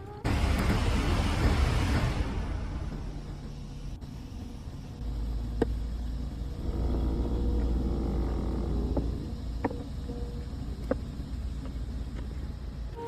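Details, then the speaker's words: BMW A/C, a common fault on 3 Series and X3 covered by a technical bulletin: a few sharp, uneven clicks from the dash when the A/C is switched off. The cause is the damper/blend door actuator motor, fixed by grinding its needle roller and greasing it, which requires dash removal. "BMW will make a clicking sound when turning on and off the air conditioner. BMW has issued a technical bulletin on this problem."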